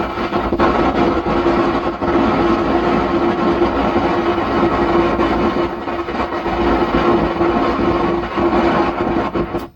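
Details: 120 W amplifier with old capacitors on the audio output: constant rough crackling rumble, described as like thunder, with a low steady hum, cutting off at power-off; cause suspected, not confirmed.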